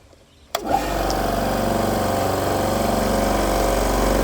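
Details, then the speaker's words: AEG 60 L silenced air compressor after replacing faulty unloader valve/pressure switch that leaked air: motor runs with steady, even pumping drone, no air hiss, then shuts off at full pressure as unloader valve releases; functioning normally. "so that's actually pretty good everything seems to be functioning again fantastic"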